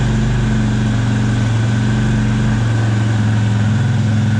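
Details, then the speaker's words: 2004 Suzuki LTZ250, said to have a new top end: steady, even idle with no knocks or misses; heavy smoke without an oil smell, owner suspects it is running rich. "But it did fire up and it sounds good. Definitely sounds good."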